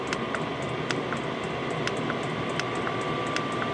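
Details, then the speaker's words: Replacement diesel heater, rated 8 kW, at a high power setting: steady, heavy fan roar with light scattered ticking over it. Running normally at high power. "it's supposed to be eight kilowatt and judging by the sound of that fun there's every possibility it is"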